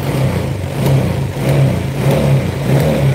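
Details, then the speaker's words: Honda Vario single-cylinder scooter that ran rough cold but normal hot, after a reset, engine at 82: several quick throttle blips rise and fall smoothly without stumble or popping; pickup now differs from the start. "Oke teman-teman coba perhatikan kembali waktu awal ini bunyinya enggak kayak gini sekarang kita reset"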